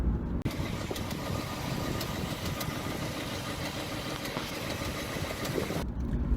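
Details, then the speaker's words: Another owner's V8 idling with light, sharp ticks through the rumble (typewriter tick), heard before adding a friction-reducer additive. "Running the Power Up in my 2018 Mustang, listen to this. This is somebody's engine that's ticking."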